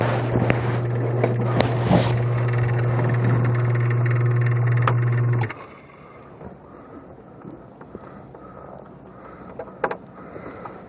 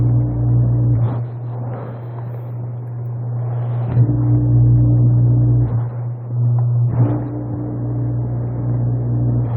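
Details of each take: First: Coast Spas Mirage hot tub with a no-heat fault, pump running outdoors at about 1 °C: steady low motor hum with a loose buzzing rattle until the pump cuts off; likely a loose cooling fan behind the motor, a typical failure. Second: Coast Spa Mirage hot tub with no heat, HH message and no circulation, about 1 °C outside: pump 2 gives a constant low motor drone with steady pitch and water churning; running normally.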